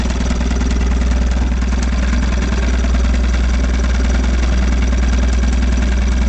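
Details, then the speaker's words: 1956 Johnson Javelin RJE-18 30HP two-stroke outboard with old pressurized fuel tank, on 14ft Viking runabout, idling: steady putter, a bit clattery and noisy but even, no misfires; idles nice. "idles nice, doesn't it?"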